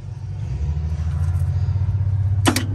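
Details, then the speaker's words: 1949 International 1-ton truck, sat about 50 years: slow labored starter groan, crank barely turning, engine seized, then partly frees up. "You can see the crank's just barely trying."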